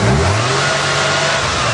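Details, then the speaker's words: 3.8 engine revving after a fuel pressure no-start was resolved: picks up cleanly and holds a steady, even rev with no misses or knocks; it sounds totally sweet. "have blown head gaskets and it sounds totally sweet so now we can play in the mud"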